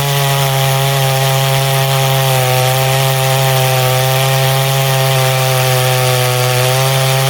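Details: Poulan 5200 two-stroke chainsaw, freshly cleaned with new fuel line, in a test cut: steady high buzzing drone holding speed with no stumbling or bogging; runs healthy under load.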